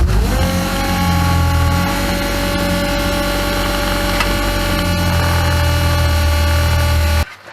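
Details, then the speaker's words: Classic Mini's Bosch high-pressure electric fuel pump at 3 bar, mounted on rubber cotton reels, run up before replacement. A loud, steady whine with a buzzing edge rises, holds, then cuts off; the pump is overly noisy. "as you can see top and bottom it's mounted on cotton reels rubber cotton reels but it is still very noisy"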